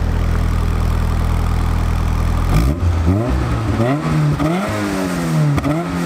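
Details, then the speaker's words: Toyota AE86 daily driver revved after first start; steady idle then clean pitch rises and falls on throttle blips, exhaust not too loud not too quiet, no rattles or misfires; normal revving. "I love this car what a machine okay yeah it's all the exhaust is not too loud not too quiet let's hear it"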